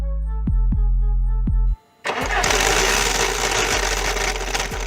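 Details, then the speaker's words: 2014 Skoda Rapid at 165,000 km, complaint of a loud engine-bay noise: once running, a harsh rough grinding rasp from the front of the bay; AC compressor clutch bearing failed, bearing missing, clutch assembly to be replaced. "и и судя по всему проблема в муфте компрессора кондиционера сейчас выполнить диагностику глубинную есть ли дело в компресс"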